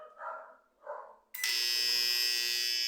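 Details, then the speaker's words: Microwave, cover off, with new control board and power relay: after animal noises, steady harsh buzz starts abruptly and holds; buzz stops once transformer terminals are disconnected, pointing to the transformer. "continua tá vendo beleza como já troquei o relê da placa botei outra placa E continuo fazendo a mesma coisa"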